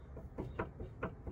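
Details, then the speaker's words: Vauxhall Corsa C, 2006, nearly 148,000 miles: quick dull clunks about three a second as the anti-roll bar link is rocked by hand; worn link ball joint with play, causing knocking inside over bumps, both links shot and being replaced. "so that's what's giving me the racket inside the car when i'm going under bumps because that's just knocking like that"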